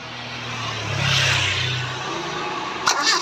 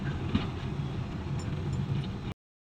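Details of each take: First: Engine cranking, starter churning about three times a second for several seconds but never catching; hard starting from a dirty distributor and worn carburetor, fixed by distributor cleaning and carburetor overhaul. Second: Steady, even low idle with no stumble after carburetor overhaul and distributor cleaning; previously kept stalling, now runs smoothly; normal idle.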